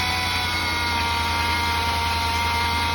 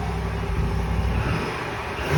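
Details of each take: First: 2020 Ram 5.7 eTorque: a constant turbo-like high whine over the engine hum, heard every time it accelerates. A failing idler pulley bearing is suspected, before the pulley is swapped. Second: 2020 Ram 5.7 eTorque at idle after replacing the tensioner/idler pulley (part 68518735AA): steady, even low hum with no whine or chirp; the whine on acceleration is gone.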